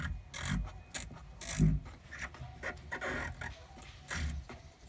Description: Rattling noise from rear compartment of my bmw e36. Sounds like a wrench was bouncing around. The noise came from bad rear shock mount (rms)